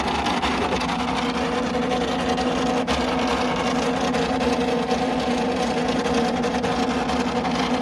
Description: The fan died :(